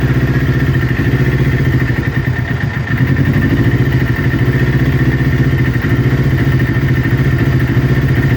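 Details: Newly built Kawasaki Ninja twin, warm idle before coil pack replacement: lumpy beat dipping and stumbling near three seconds; exhaust manifold temperature checks show right-hand cylinder running 15–20 °C cooler, suspected misfiring from a faulty ignition coil.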